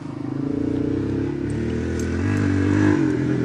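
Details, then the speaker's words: Chevrolet car cranking steadily, turning over but not catching; it was simply out of gas, fuel had to be drawn back through the fuel system before it ran. "see it was just out of gas yeah i didn't realize it was out of gas"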